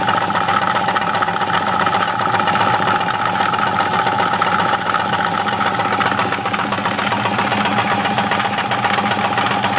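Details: Steady idle with an uneven knock underneath, roughly twice a second, from inside the engine; the owner suspects bearings, not confirmed.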